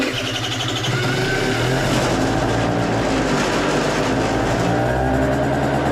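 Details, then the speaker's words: Scooter left sitting over a year, last fueled ethanol-free, restarted after carburetor concerns: quick, steady putter with no knocking or misfires, spitting a little oil; runs fine, just needs a good battery charge. "Well, gang, that was an easy revival. That thing fired up. I wouldn't say right up, but all it needs is a good battery charge."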